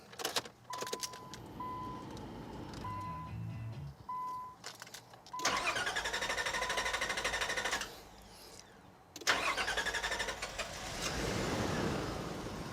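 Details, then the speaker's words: 2001 Nissan Pathfinder, hot restart after a drive and 15-minute rest, starts fine cold: door chime, then long drawn-out cranking, pause, another long crank before firing; fuel pressure bleeding off through a leaking fuel rail damper, fixed by replacing it. "well that's what's really strange normally a car if it's going to have trouble starting it'll have trouble starting cold and warm or it'll have more trouble starting cold than it will when it's warmed up and so the big question is what's going on that it's not firing right up when it's warm"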